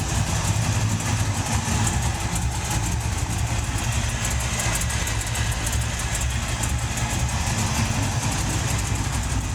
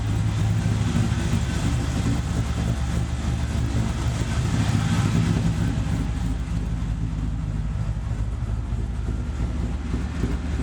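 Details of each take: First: LS-swapped Chevy S10 with cheap Chinese headers at idle; loud rumble with sharp fast ticking, headers suspected leaking at flanges and collector. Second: LS-swapped Chevy S10 V8 with Chinese eBay headers after fitting Remflex header gaskets, doubled copper collector gasket and retightening bolts: deep steady rumble, even pulse, no ticking or puffing at manifolds; headers now sealing, normal running.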